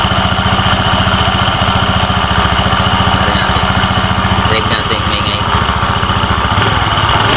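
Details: Honda Beat FI v2 scooter idling with rattly, uneven chatter from the CVT transmission side, from a loose worn cover bushing; crank bearing also found faulty and replaced.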